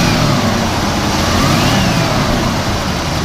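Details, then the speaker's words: 1967 Mercury Cougar XR7 V8 revving with crisp, even revs that climb and settle cleanly, no knocks or misses; a small belt-like noise is considered normal; healthy engine that drives well. "you know it sounds great various things so and it drives amazing"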